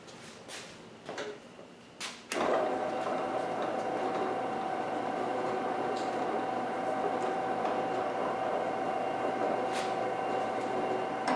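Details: New Klutch 1 hp floor drill press, Item #49384, first power-up after assembly with the belt just checked: clicks, then the motor spins up to a steady, even hum with a clear mid tone, no rubbing or grinding; running healthy.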